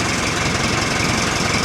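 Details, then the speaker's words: Warm Nuhvi tractor engine idling in neutral after cylinder-head re-tightening and valve adjustment: even diesel clatter, steady idle, no valve knocking; oil pressure 40 at idle, runs well. "It's running well and the valves aren't knocking."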